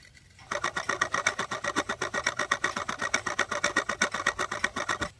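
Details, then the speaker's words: Cheap Chinese quartz wall clock movement (battery, chip, crystal, coil): crisp, even ticking at a steady pace as the stepping motor spins quickly, likely 8 Hz from binary division of the crystal frequency; normal stepping motor operation. "What is the frequency it spins at? Let's try to make a mark on it. It's quite fast. Maybe 10 times per second or five times per second."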